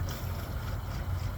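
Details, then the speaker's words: 1972 Chevy C10 pickup run after sitting a while, temperature light on and starting to overheat: low, uneven gurgling of boiling coolant, with coolant dripping underneath. "well I hear it gurgling this wet and drippy underneath okay so that's what I needed"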